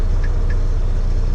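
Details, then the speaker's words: Semi truck diesel just after starter replacement, on its second start: catches quickly and settles into a steady, even low rumble with no knocks or misses. Fires like a champ; healthy idle. "fire up again to make sure she is good and she fires like a champ"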